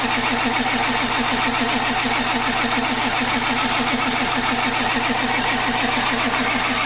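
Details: Ford Powerstroke diesel truck with weak battery, being jump-started: steady starter churning at roughly one beat per second with no catch or firing; cranks but won't start, later fires after charging.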